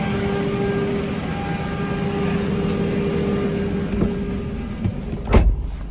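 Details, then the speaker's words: Nissan X-Trail with starting problems, after refitting the EGR valve, no fault codes: quick crank and fast start into a steady, even idle with a smooth hum, no knocks or ticks; running nicer than before repair. "engine back running and sounding nicer than it did yesterday"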